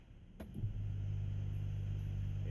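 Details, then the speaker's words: 1988 Honda Accord, fuel pump under 30 days old, intermittent no-pressure no-start; at key-on prime, recorded at the rear, a low even rumble with no squeal clear. Owner notes a high squeal after sitting a day and slightly low battery voltage. "and it's a low it's a low rumble noise and this is pump's not that old but it's also got a little high squeal noise when you first keyed over after a day"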